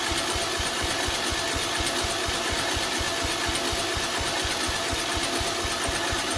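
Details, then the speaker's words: 2005 Poulan Pro rider mower, Briggs & Stratton 17.5 engine, cold garage, on choke after linkage repair: weak, uneven chuffing as the engine briefly catches but won't start, likely flooded from fuel running in. "hey it tried I think we flooded it whenever it was letting the fuel run in"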